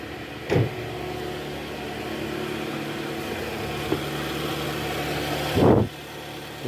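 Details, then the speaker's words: 2013 Toyota Alphard with a 2AZ-FE engine at idle after replacing a destroyed balancer shaft and cleaning its fragments from the oil strainer: an even, steady low hum with no roughness or knocking. Much smoother; normal idle. "Oke Guys sekarang suara mesinnya udah jauh jauh jauh lebih halus ya guys"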